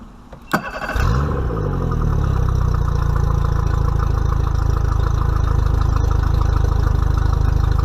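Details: Mercury 50 hp four-stroke outboard on a 2020 Bass Tracker, first break-in service, started to circulate oil before checking level: catches after short crank, then a smooth even low idle with steady beat, no knocks or misses; healthy.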